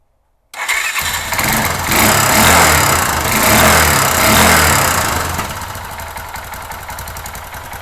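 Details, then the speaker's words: 2005 Kawasaki Bayou 250 ATV needing top-end, on auxiliary fuel can, cold start: fires right away, then speed surges and sags unevenly before settling; rough running blamed on badly worn cheap Chinese carburetor, to be replaced; better once warm. "yeah see that this problem is the carburetor and we'll get into here in a second because it's one of these Chinese junks but it's in pretty bad shape"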